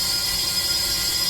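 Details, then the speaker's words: 2024 Sea-Doo RXP-X 325 engine, not running, cylinder leak-down test during a valve spring and retainer install: loud steady hiss of escaping air throughout; this cylinder leaks heavily. "So definitely exhaust valves so far, they're leaking. All right, let's continue and see, just change this and see what the other one is doing. Well, this one is definitely leaking."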